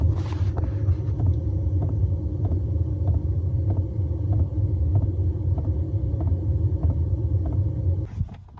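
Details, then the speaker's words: Diesel heater running: crisp, even ticks about every 0.6 seconds over a low rumble, the normal fuel pump tick; muffling and padding attempts failed to quiet it. "Well, I tried every possible, conceivable suggestion, comment, and my own thoughts to try and muffle, pad, silence the sound. None of them worked. Sorry, not to my satisfaction. I could still hear the tick, tick, tick, tick, tick."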